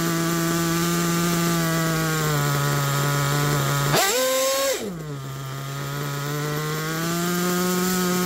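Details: Picco P3TT DLC nitro engine, almost 10 gallons through it, new bearings and connecting rod, worn crankshaft, damaged sleeve and block, temperature reported good: high-pitched wavering idle, sharp blips that settle back; runs but idle isn't steady.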